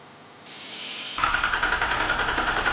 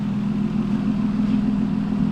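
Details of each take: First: 2005 Ford Taurus wagon derby car, late at night: brisk, even cranking at about nine beats a second for under two seconds, never fires; cranks but no start, fuel pump failed after running out of gas. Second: 2005 Ford Taurus wagon derby car just fitted with new spark plugs: steady, even low hum with no stumbles or skips; a smooth, settled, normal idle.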